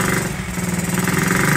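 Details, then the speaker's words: Honda Z50 started for the first time in 35 years: small single revving unevenly with a soft, burbly, lumpy exhaust note, running rich; suspected carburetor slide needle set too high, also needs air adjustment. "guys really running rich and my guess if I can guess is that um the slide needle is up too high"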